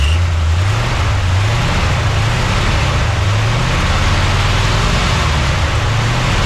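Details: 1979 Chevy C10 V8 after sitting 5 years: low, steady rumble with slightly uneven lope but no misses or knocks; idling normally.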